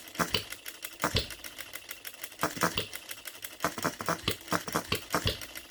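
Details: OKMO Retrol B02 miniature petrol hit-and-miss engine, no adjustments, on 25:1 shellite mixed with Marvel Mystery Oil, restarted: light clicking valve gear with a sharp firing pop about every second between coasting strokes; normal, healthy hit-and-miss running.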